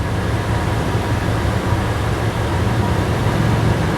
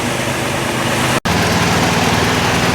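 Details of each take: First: 2011 Toyota Tacoma at idle: loud steady high-pitched squeal from the AC compressor as it tries to engage, compressor turns freely by hand, static pressure 75 psi; failed AC compressor clutch drive plate. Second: 2011 Toyota Tacoma, engine idling with AC compressor drive plate replaced for a squeal: steady even hum with no squeal, rumble or ticking from the pulleys; idler bearings sound quiet and healthy.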